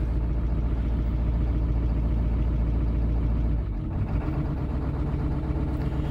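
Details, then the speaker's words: 1995 Ford F350 7.3 Powerstroke turbo diesel on its last legs, started with ether on a warm day with weak battery and little coolant: a heavy, uneven idle with lumpy missing beats. Rough running, owner suspects a few dead cylinders. "few dead cylinders i hear that's probably not good sounds like this engine's about done"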